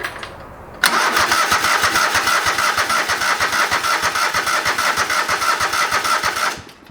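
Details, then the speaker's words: Old lawn mower, cranking with brake pressed as safety switch: starter churns steadily about three strokes a second for six seconds but never catches; no spark found, owner suspects spark plug or plug wire. "i figured out you might have to be on the break as like a safety switch for it to actually turn over and crank and start so i'm gonna try that hey we have it cranking"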